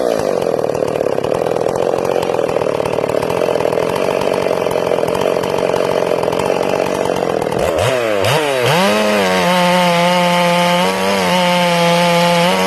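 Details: Ported Stihl MS461 in break-in, carb a little rich, limited coil capping RPM: the saw hits the wood and the bar is pulled up slightly to test for instant four-stroking. It gives a burbly, uneven note under load, then revs freely when lifted out.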